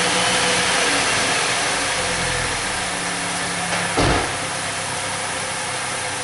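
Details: 2006 Saturn Ion 2.4 Ecotec, codes P0300, P0171, P0507, P1174, long-term fuel trim around +20: the cold start settles into a hissy, uneven idle with a wavering tone and one brief bump. Rough, lean idle.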